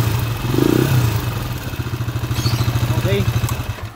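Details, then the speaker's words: TMX155 single-cylinder motorcycle engine, rebuilt and remounted, at idle: uneven clatter on each firing pulse; noisy running, mechanic suspects bought timing gear, plans to check valve clearance and magneto/crankshaft play. "maingay yung andar mga kaabo parang ah alanganin yung timing gear mga kaabo na nabili ni bossing"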